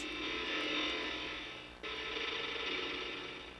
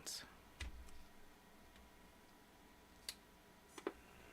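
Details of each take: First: Macintosh Classic II logic board at power-on; high-pitched buzzing whine with rough chattering edge, dropping and returning. Abnormal electronic noise at power-on, cause unknown. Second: Compact Macintosh after inspection, no leakage found: faint clicks, then a single clean chime under a second over a quiet fan hum; 11.97V and 5.01V rails, fan not loud, boots to flashing question mark; normal startup chime.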